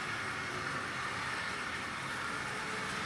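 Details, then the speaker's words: Tri-ang R.753 AL1 Class 81 Bo-Bo electric model loco with Mk1 coaches, recently recommissioned with power bogie serviced and rusty pantographs cleaned; smooth, even whirr and rail rumble with no catches or clicks, running really smoothly, normal. "you can hear that's running really smoothly. Recently recommissioned. Good service of the power bogey, cleaned up all the pantographs which were very rusty,"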